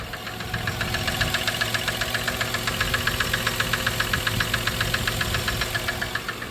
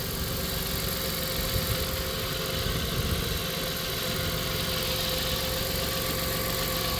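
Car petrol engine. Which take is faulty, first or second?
first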